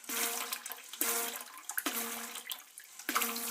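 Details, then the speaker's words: Old toilet cistern refilling after flush: rushing water with humming tone cutting in and out about every second; worn fill (push) valve chattering, to be replaced. "So the problem is right here. So this valve is basically worn out."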